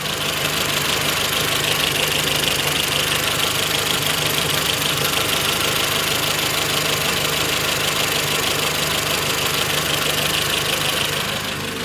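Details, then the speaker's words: Renault Twingo after throttle body and idle actuator work: after a minute of running the ECU relearn brings idle down low, steady and even with constant hiss, much less vibration than before; normal idle. "donc là maintenant après une minute le ralenti est plus bas et il est tout à fait correct ça vibre quasiment pas"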